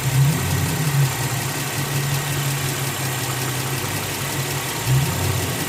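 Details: 2003 Infiniti FX35 V6 at 120,000 miles, otherwise runs perfectly, idling: steady low hum with light quick clicking on top; owner suspects fuel pressure regulator or valves/lifters needing re-shimming, not confirmed.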